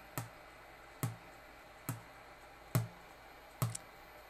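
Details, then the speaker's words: Peachtree Audio Grand Integrated X1 stereo amplifier with buzz on one channel: right channel gives no audio, only regular clicks about once a second over quiet hum, after heating right-board caps gave total distortion; left channel fine; digital processing controller suspected failed. "no audio at all out of the right channel but the left channel sounds perfect so that's the left channel and you can still hear the right channel clicking"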